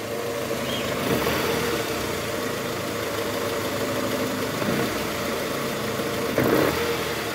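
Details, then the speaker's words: 2009 Toyota Harrier 2AZ-FE 2.4 L at cold start with AC on, shifted into R or D and revved: coarse rattling roughness from the oil pan area, gone with AC off; worn balancer shaft confirmed. "lagi ngerjain harierier mesin 2azz ada suara kasar di mesin pada saat awal mesin hidup AC on masuk r atau D"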